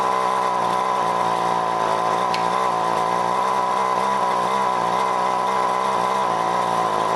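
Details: John Deere BC1600 string trimmer (thought to be the same as Homelite UT-15198, Zama H46 C1U carb), sat unused for years, first cold start on fresh mix: flat steady buzz never climbing to high scream; won't reach full revs, owner suspects goop in carb.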